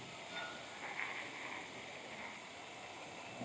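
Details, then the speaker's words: Ice bath chiller filter casing refilling with water via the red button: steady thin high hiss as air bleeds out; normal, and the hissing stops when the casing is full. "You can hear it hissing. And when the hissing is finished, we know that the filter casing is full of water."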